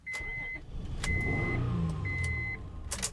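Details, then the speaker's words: 2003 Honda Odyssey 3.5L V6 with P0305 misfire, cranked with no clear-flood mode: starter churns at an even beat, about four pulses a second, with chimes; even cadence suggests compression is fine. "well the engine sounds pretty good"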